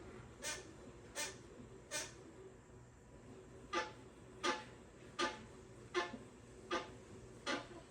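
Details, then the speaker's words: Pooboo stationary exercise bike squeaking when first ridden, in both pedaling directions: short, sharp squeaks about every three-quarters of a second keeping time with backward pedaling; owner suspects the belt and tries white lithium grease; cause not confirmed. "This is how it sounds when I'm on the bike. Listen. When I'm going forward, and even backwards."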